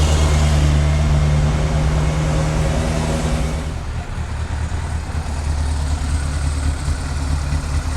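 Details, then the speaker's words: 1998 Yamaha YZF600R Thundercat four-cylinder, first start after transmission repair and engine reinstall, rear wheel off the ground: catches and settles into a steady, even idle with smooth low burble, no knocks, rattles or leaks; healthy. "no leaks that sounds good"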